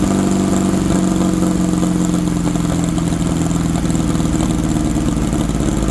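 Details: 1964 VW Baja Bug, formerly seized engine, sitting over a year, run on old gas: even, steady air-cooled putter with firm low beat, no misses or knocks; idling healthy.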